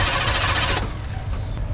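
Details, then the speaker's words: 1974 Chevy C10 dump truck small block V8 during compression test, throttle jammed wide open: brief even starter cranking under a second, no weak cylinder; cylinders reading about 150-160 psi, normal cranking. "I got the throttle jammed wide open you got to let the air in to make the thing do"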